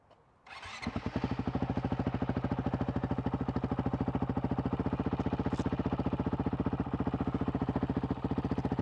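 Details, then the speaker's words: Honda CRF450L/RL single with the Taipan AiM ECU just installed: starts and settles into a crisp, evenly spaced thump about ninety beats a minute. Idle is steadier and more stable than with the Vortex ECU. "that's a little more even that's even a little more stable than the vortex was"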